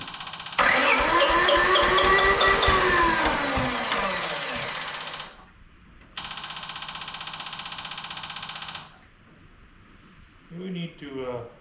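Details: Japanese IHI diesel mini excavator, sat unused for a while, jump-started with a high-amp jump pack and fuel pump on: steady even cranking in two long bursts at about three turns a second, never catching; getting some fuel but possibly too little, injector cracked next.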